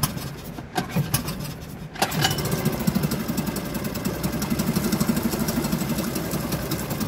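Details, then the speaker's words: Suzuki DF2.5 2.5 HP outboard tested in the water after a no-start fix, fuel valve and tank vent open; after a couple of pulls it settles into a steady, even putter. It runs normally. "The engine is in the water to test it, now I have to open the gas valve you will see how it starts, pull the throttle bar open the gas tank vent"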